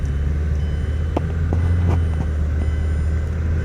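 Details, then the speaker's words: 2008 Mazda 6 4-cylinder: deep droning rumble with dull thumps on takeoff from a worn passenger-side hydraulic engine mount, fluid likely leaked; mainly on takeoff, before mount replacement. "and here's the vibration we're getting on takeoff if you can hear this"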